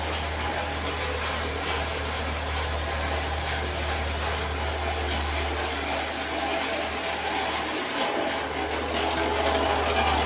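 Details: Renault Sandero 1.6 8-valve, owned one month, under warranty: steady idle with quick even light tapping about four a second from the engine top; owner suspects cylinder head or rocker arms, source unknown.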